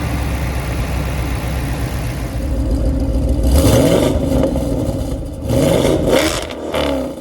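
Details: 7.3L Godzilla-engined Mustang on a second base tune, only one start in: a deep, even V8 idle, then quick blips that rise and fall cleanly; idle smoother and throttle response better than on the first tune, but further tuning still needed.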